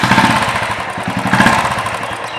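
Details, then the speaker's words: Royal Enfield Bullet BS4 UCE single idling with a steady thump and light even tappet ticking, judged normal; separate chak-chak sound attributed to the charcoal connector; normal tappet ticking at idle. "And ये जो tapping noise है इतना नॉर्मल है।"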